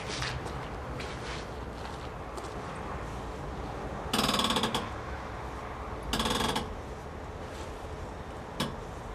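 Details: Short bursts of rough, notchy grinding each time the steering is turned with the wheels in the air and a manual steering rack, from worn strut top mount bearings.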